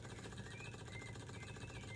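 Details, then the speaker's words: Small Stirling engine restored with a spare glass cylinder after a year not running; light even ticking at steady pace, no knocks or scraping, slight speed fluctuation from an uneven burner; running smoothly. "so guys the engine as you can see is going perfectly now"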